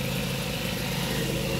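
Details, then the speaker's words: Mazda 3 idling with the AC on after the AC clutch plate clearance was adjusted: a steady, smooth low hum with the compressor engaged and no misfire. It used to go "tug tug" with the AC on and is now quiet and healthy. "Tapos yung makina niya hindi na rin palyado pag nag-aircon. Dati kasi pag nag-aircon yan, tug tug tug tug tug tug tug tug tug tug, ganun ang tunog niya. Ngayon tahimik na."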